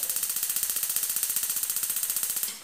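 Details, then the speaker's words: Six-year-old gas stove whose burners are slow to light: rapid sharp ticking at about ten clicks a second that keeps going without the burner catching. "essas moças nenhuma tá funcionando Aliás Tá funcionando mas demora de pegar o fogo"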